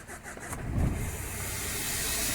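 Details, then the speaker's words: Renault Scenic diesel with crank-no-start, injectors found loose; about 1557 mbar back pressure measured; engine chuffs unevenly then a loud hiss of escaping gas; exhaust back pressure from a choked DPF. "it's stalled I didn't like it it's too much it's totally choked might do some damage if I keep trying definitely the problem is a spot pressure needs a DPF"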